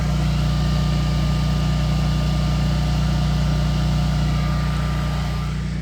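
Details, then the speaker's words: Generac Guardian 22kW automatic standby generator during its first real power outage, powering the house through the auto transfer switch: loud, steady drone with an even low hum, no knocks or misses; working great. "See, it's working great."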